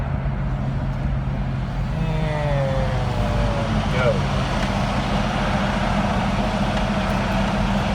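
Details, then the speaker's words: Car idling at a stop light in traffic after throttle body cleaning, new idle air control valve, six spark plugs, wires and an idle set-screw adjustment: a steady, even low rumble with no hunting or stumble; rough idle fixed. "i like that idle speed that is good i like it"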